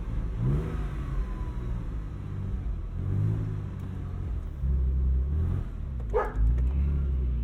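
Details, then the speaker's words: 1999 Porsche 996 Carrera 4 restarted after stalling with backfires: engine revs unevenly, surging and sagging rather than settling; rough running after stall, cause unknown. "oh damn it come on she's giving us some backfires yeah did you hear that i did and i feel it in my butt too come on stay running for me kid ah she died on me"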